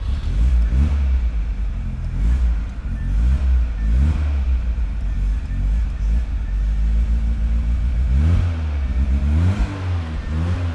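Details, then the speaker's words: Project car's start before tune-up: loud fuel pump audible, then the engine catches and settles into a fairly steady run with throttle blips. Slightly uneven carbureted idle, no knocks; runs fairly okay. Owner suspects dirty spark plugs; planned tune and EFI conversion. "Woo! She sounds good. Now, as you heard, the engine runs fairly okay."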